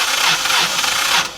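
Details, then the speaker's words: Northern Lights 12 kW marine generator on the boat, cranking slowly with even compression pulses about three a second and no firing, checked with optical tachometer; battery voltage fine; weak starter motor blamed, then replaced. "we know where we know we're turning slowly and so for sure we're turning slowly the most common cause for for the most common cause for slow turning is is low voltage"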